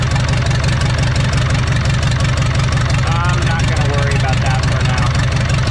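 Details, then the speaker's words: 1980s Komatsu D31S track loader, Cummins 4D105-3 diesel, after replacing cracked fuel line using fuel filter as union, small pinhole leak remaining, blow-by present; steady deep clatter at low even idle, no misses or knocks; normal running. "Now, aside from that small fuel leak, the engine is turnkey."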